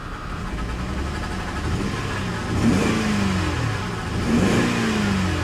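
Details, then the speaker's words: C4 Corvette with some miles on it idles with a rough misfire, labouring and surging unevenly under blips, revs sagging; in gear it goes backwards and forwards but tries to die. Cause unconfirmed, possibly needs a tune-up. "That misfire is pretty rough, though. Put it in gear. Goes backwards. It goes forwards. She's trying to die."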